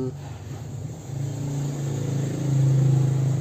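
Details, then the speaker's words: Honda PCX 160 scooter after two weeks of use, engine at idle. Low chopping thrum of about four beats a second, like a helicopter, and not quiet; owner unsure of the cause and says it is quieter when riding. Finding: noisy idle. "nah ini yang ketiga ini yang Umi suaranya itu waktu idol-idol mesin tuh seperti helikopter duduk-duduk Entahlah ya emang apa akarpena seperti itu gimana ya Kok kayak berisik gitu lho istilahnya kurang senyap lah"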